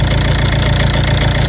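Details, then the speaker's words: Ford Mondeo 2.0 diesel 136 hp, automatic going into limp mode, jerking, stalling: steady idle with low fluttering quack under the clatter that disappears when the turbo control solenoid valve connector is unplugged; faulty turbo boost control solenoid. "Дивіться, я не знаю, чи чуєте, пропав квакающий звук. Чуєте? Двигун працює рівненько, але пропало квапання."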